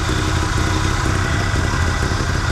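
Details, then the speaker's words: Abandoned 1974 Chevy C10 dump truck on ancient fuel, idling, vacuum gauge on carburetor manifold port: lumpy uneven idle with irregular low thumps; ignition timing retarded, runs happier with more advance (vacuum advance on manifold source). "I can tell you right now the timing is off"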